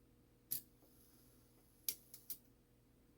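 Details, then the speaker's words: Shanghai 555 Chinese clock movement after cleaning and repair, single half-hour strike tested: four sharp uneven dry clicks from the strike train; unwanted clicking, cause unknown. "this once that's clicky I wonder if Dennis heard that clicking noise before I don't like the noise that thing makes"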